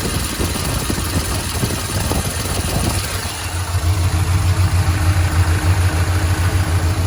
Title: lifter tick fading?